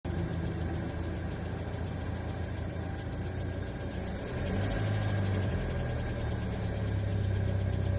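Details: 2016 Kia Forte, about 50k miles, cold start: steady low drone at idle with a faint irregular knocking about four per second, not present every time; cold-start noise, cause unclear.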